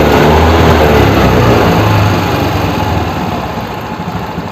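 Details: Suzuki Access 125 scooter: even idle at about four beats a second, steady then dying away, no knocks or rattles; normal running.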